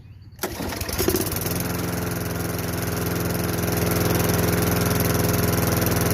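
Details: Craftsman 22-inch mower, 5.5 hp Tecumseh, sat about 10 years, after unplugging the carb bowl nut jet and a squirt of starter fluid: catches after a pull, coughs once, then settles into a steady, even drone with no stumbling; a clean start.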